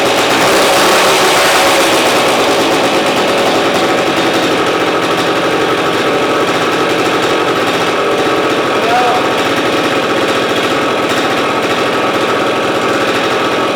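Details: 1971 Yamaha AT-1 125cc two-stroke, not run in over a year, first start on choke with a rigged battery and slightly seeping fuel line: loud, busy buzz holding steady, no misses or stalls; firing cleanly.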